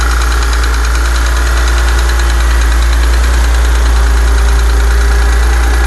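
Steady idle with a fast, fairly even tick riding on top, about three per second; a ticking noise, source not yet pinned down.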